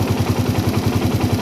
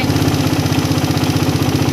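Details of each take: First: Single-cylinder motorcycle carburetor tuning: even, slow, heavy thumping about ten beats a second, idle rpm dropping more and more as the air screw is closed. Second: Motorcycle carburettor set by closing the air screw then opening to the highest-rpm point: even, steady putter at idle with no hunting, surging or misses; mixture set right and idle stable.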